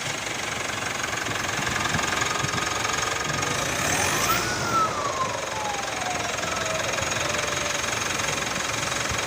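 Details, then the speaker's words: 2017 Mitsubishi Pajero Sport diesel, 104,000 km, stationary, throttle blipped, heard outside: thin whistle climbs sharply and falls slowly over diesel clatter; turbo compressor fins damaged after glue entered the turbo; air filter since replaced. "Nah, ini mobil kondisi tidak jalan ya, posisi stasioner, kondisi digas. Ya, turbonya kisi-kisinya rusak teman-teman."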